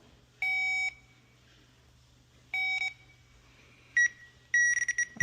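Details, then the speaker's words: 2006 Kawasaki motorcycle ignition rewire after a hot-wiring theft attempt damaged the wires, ignition on: short steady high beeps from a circuit tester as the probe touches. A second permanent live feed is found. "we've got a permanent there as well. So, we've got two permanents."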